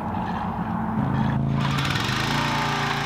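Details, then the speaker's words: Pressure washer after replacing the pump check valves, which had caused no pressure after months unused; small engine catches and settles into a steady, even run with smooth pump drone, pressure restored: normal running. "right away we have pressure I would call that a success well there we have it pressure washer fixed ready to be put back into"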